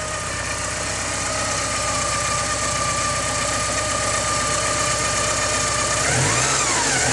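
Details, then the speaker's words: 1985.5 Porsche 944 four-cylinder, cold and warming up: even idle, then a throttle blip where revs rise cleanly and settle back with no hesitation; healthy throttle response. "as you can hear there's no hesitation so we're going to go on a little uh test drive just to show you that everything functions the way that it should"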